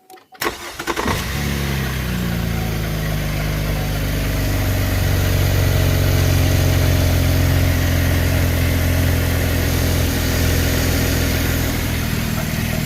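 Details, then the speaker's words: 2012 Chevy Impala police edition, 3.6L V6, after serpentine belt and tensioner pulley replacement: quick crank, catches cleanly and settles into smooth even idle with steady low hum; normal start and idle. "All right, give it a start. That's how it's supposed to start."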